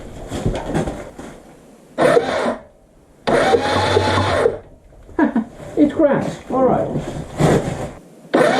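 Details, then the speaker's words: Suzuki GN250 during reassembly, starter motor powered directly through the solenoid with a jumper: several short whirring bursts of about a second each, spinning freely and stopping cleanly; the starter works. "it's like milking a cow alright so the starter works which is good news"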